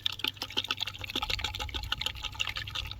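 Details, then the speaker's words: Vauxhall/Opel Corsa C old horn, removed and shaken. Small wet sloshing and dripping splashes from water trapped inside; it likely rusted and caused the horn failure. Replaced with a new horn. "It's like full of water. It's probably gone rusty. Probably why it's broken."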